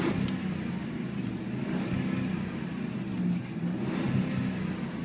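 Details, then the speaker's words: 2005 Dodge Ram 4x4 Hemi V8 at idle, hot mid-September day: steady smooth deep rumble, even beat, no ticks, misses or rattles; mellow, not obnoxious aftermarket MagnaFlow-style exhaust; normal exhaust note. "that's what the exhaust sounds like. It's not obnoxious aftermarket MagnaFlow, which is a good thing because it can be really obnoxious on those MagnaFlows if they want it to be."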